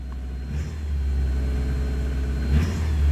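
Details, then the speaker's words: Ford Capri XR2 four-cylinder after blown head gasket repair, top-end noise gone: two crisp throttle blips from a rumbling idle, rising and falling cleanly; now running smooth on all 4 cylinders instead of 3 and shaking. "Just revs so much better. Let's find out. Look at that. Before it used to like obviously shake, now it's nice and smooth."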